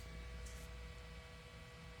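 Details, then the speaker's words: 2018 Nissan Pathfinder with Auxito LED headlight bulbs, headlight on: faint steady buzzing hum of the bulb's built-in cooling fan under the flap; normal, the fan stops when the light shuts off. "you can hear that little buzzing what that is is the fan spinning cuz that's where the LED headlight is just under this little flap it's spinning keeping it cool and as soon as the light shuts off it'll shut off"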